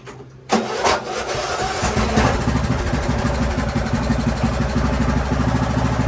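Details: Craftsman YT3000 riding mower with donor replacement engine and carb, on jumper pack, oil low and due for change, testing hydro transmission: starts first crank, steady even putter with no misfires or knocking; healthy running, transmission smooth.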